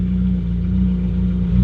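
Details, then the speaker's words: Ferrari 458 V8 that began surging and idling up to 7,000 rpm; foot on brake, shifted into gear; deep steady idle dips, then swells slightly as it pulls against the brake; cause suspected, not confirmed; idle surge in gear. "i put in gear it immediately goes down it's almost nothing but you can hear it's like it's like the car is trying to roll on me"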